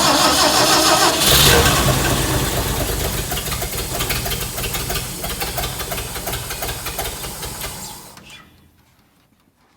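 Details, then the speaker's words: Hobart APU cart with a Ford inline six, sat 8+ years, with fuel poured into the carburettor and choke set: it catches and pops about three times a second, then dies within eight seconds. Fuel starvation. "we're going to dump a little bit of fuel in the carburetor so we can actually see if we get the pop and a kick"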